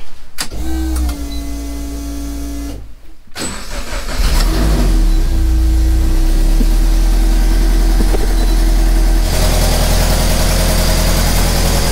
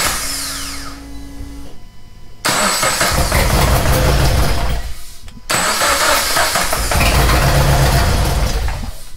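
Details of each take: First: Race car after misfire fixed with redone, insulated wiring and new plug: catches quickly and settles to a steady, even idle with no misfire; exhaust manifold leak noted. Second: Race car's freshly reinstalled engine, first start after refit, catches and idles rough with an uneven, lumpy beat, sounding like it runs on two cylinders; one cylinder not firing, traced to the front cylinder.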